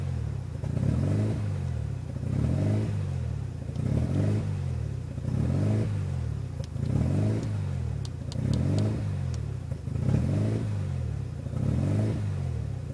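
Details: 1993 RHD Mazda RX7 rotary with newly installed Power FC ECU (wires not cut): low idle swells and sags roughly every second and a half, a steady hunting surge; not holding a smooth idle.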